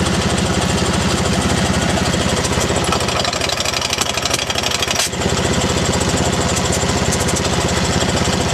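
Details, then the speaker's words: T80 air compressor with the load taken off: a steady, even pumping beat with no rattle. The rattle and squeak only come under load, and it still makes air and pops off, so the compressor itself is worn and near failure. "but the high pit squeak is diing it's still producing air and here is popping off so still doing it job but it's not long for the world the way it is"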